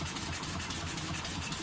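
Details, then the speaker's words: Home-built double-acting model steam engine running on compressed air at very low pressure: soft quick even chuffing, steady rhythm, no knocks. Ticking over smoothly, little vibration; normal running. "I like these when they're just ticking over, just purring away. Pretty smooth, not much vibration."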